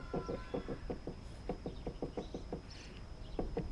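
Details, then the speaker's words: 2015 Lexus ES350 rear clunk over bumps, reproduced by rocking the body with sunroof glass closed: sharp hollow knocks in bursts; none when tilted or slid open; sunroof glass clunk, a screw suspected touching. "if i slide my glass like this i slide back season like this this thing making noise"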